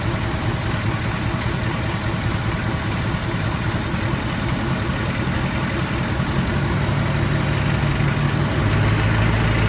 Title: Clicking sound ford 6.7